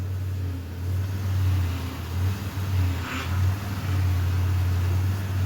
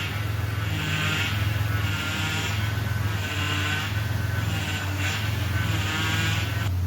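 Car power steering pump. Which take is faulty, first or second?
second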